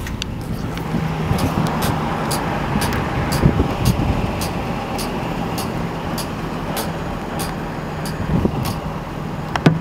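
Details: 2006 Nissan 350Z, rear driver-side wheel while driving: sharp chirping/creaking a few times a second over road noise; no play found at 12/6 and 3/9 but turned out to be the wheel bearing.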